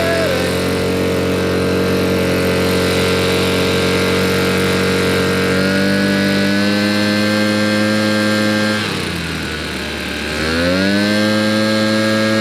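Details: Old RedMax two-stroke leaf blower after carburetor cleaning, tank cleaning and new fuel lines, run outside: crisp, even buzz holding steady with one brief dip and recovery; runs clean and responds normally.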